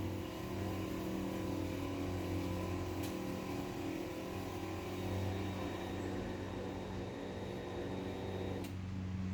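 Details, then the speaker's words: Chamberlain Whisper Drive Plus HD800D DC belt-drive opener closing: even motor hum and belt drone, slightly noisier on the way down, easing into a working soft stop; healthy, belt could be tightened a little, excess sprocket grease noted. "so yeah the soft stop works great on it soft stop growl is great can tighten up the belt a little bit"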